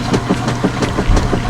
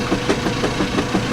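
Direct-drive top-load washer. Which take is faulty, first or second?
second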